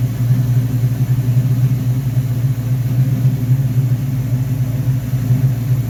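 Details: V8 first start after rebuilding a 1969 Corvette's Rochester Quadrajet 7029202 carburetor (ethanol-damaged fuel bowl cleaned up): steady, even low idle rumble with a few light throttle blips, no misses; normal idle.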